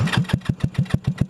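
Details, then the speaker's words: Go-kart small engine restarted after it shut off from a blown fuse, likely the original roughly 12-year-old one, replaced with a spare; intake snorkel already removed. Quick even firing pulses as it catches and settles. Normal engine start. "But we're gonna try to fire this thing up again and see what happens."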